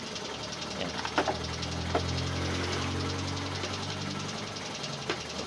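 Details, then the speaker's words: Honda Beat FI scooter after replacing a faulty TPS sensor that caused misfire and bogging; engine runs with a steady low hum and light clicks, misfire gone: normal running. "Okay na siya mga loads nawala na yung kanyang palya"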